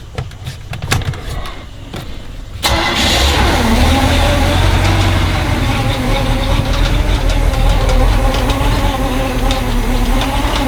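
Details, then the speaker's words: MerCruiser 330 hp 454 Chevy V8 in a 1989 Sea Ray 268, on muffs after new exhaust manifolds, risers, elbows and oil cooler: brief quiet cranking, then it catches cleanly and settles into a steady, even idle; normal start. "Either way, I wanted you to hear it run. It runs good, at least on the muffs it does."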